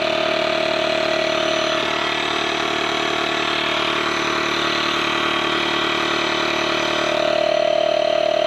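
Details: Small engine idling while flat tire is inflated to 14 PSI: smooth, even idle with steady air-pump hum nearby, no stumbles; normal idle.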